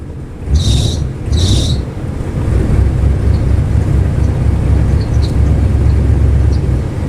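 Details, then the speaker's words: 1984 Lincoln Continental after winter storage, started after tightening loose negative battery terminal: steady low engine rumble held on light throttle, heavy wind; little smoke from exhaust, owner attributes to excess fuel in system. "Keeping the foot on the gas just a bit to make sure that she Stays running. Oh, she spurted a little smoke out the back, but I'm sure that's because there's a lot of gas in the system."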